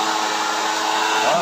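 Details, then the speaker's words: Homemade blower built from a used dynamo motor, run through a transformer turned up to maximum: smooth, steady whirring hum with constant pitch and no rattle or scraping, quiet where it rattled before; normal running. "Bagus, suaranya halus. Tidak seperti dulu. Sebelumnya sangat berisik, sekarang sudah tenang."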